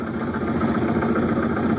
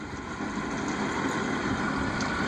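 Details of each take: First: 2005 Yamaha F250 outboard, starboard motor, in reverse at low idle: rough, throaty rumble with uneven pulse, quieter in forward, inaudible at full RPM; bubbling from misaligned lower unit gasket; lower unit had failed and was replaced. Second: 2005 Yamaha F250 outboard, the port engine recorded as a comparison with the starboard one that sounds throaty: a low, quiet, even idle with only a couple of faint ticks. Normal idle. The starboard's lower unit was later found failed.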